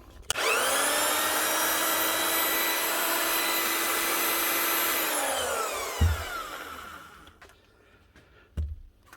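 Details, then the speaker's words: Marcrist DDM3 three-speed wet and dry diamond core drill after repair with a new bearing and second-hand housing (seals were gone, previously growling): spins up smooth with even high motor whine, coasts down cleanly; normal run. "one Marist DDM 3 wet and dry cordal fixed up again with a new bearing and a second hand housing because the seals were gone"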